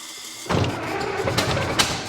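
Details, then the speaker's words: 1924 (also called 1925) Ford Model T, unrun for many years, ignition on battery: starter grinds steadily with rough uneven turning and no firing catches; flooded engine, spark plugs wet with fuel. "yeah might be flooded though all right spark plugs are a 15 16. oh yeah yeah that's flooded yeah i don't know why i won't start yeah i wonder why when it's just uh coated in gas"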